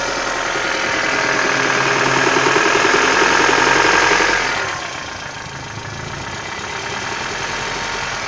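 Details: 1996 Toyota Caldina ET196 with the 5E-FE engine, a year after overhaul with new crankshaft and bearings. Steady idle with a sharp, regular metallic tapping about four per second on top; knock of unknown origin.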